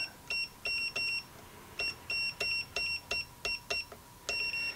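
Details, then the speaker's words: Hioki DT4256 multimeter continuity test between amplifier input ground and output ground: short high-pitched beeps in quick, uneven bursts, about three a second. Circuit closed, fast response. "Let's do that continuity test. We got ground at the input of this amplifier and ground at the output. Very fast."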